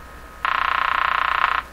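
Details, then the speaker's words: Canadian General Electric JK-53 three-band tube radio during initial checkout, antenna wire touched; raspy buzz rising from quiet hiss, fast pulsing, through the speaker, possibly picked-up interference, source unclear. "that noise you hear you know what a lot of radios make that sound in my shop and I'm always asking myself if Jesus is coming out of the radio or is it being picked up by the radio"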